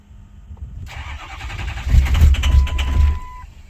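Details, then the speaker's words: 2006 Ford F350 6.0 Powerstroke diesel after sitting five to six years, new standpipes and dummy plugs: steady cranking for a couple of seconds without firing despite good readings; hard start. "I got a little bit of a long crank but I mean my numbers are good though"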